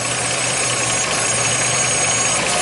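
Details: 2006 Jeep Liberty idling after about four minutes warm-up, transmission removed three times, torque converter replaced: faint high-pitched whine above idle, louder as transmission warms; suspected transmission pump or torque converter, not confirmed.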